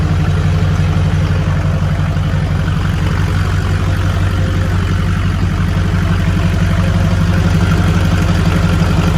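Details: Shorty Duramax diesel's first start after a complete frame-off restoration: deep, steady idle with an even, low rumble, no misses or knocks and no leaks; engine running healthy.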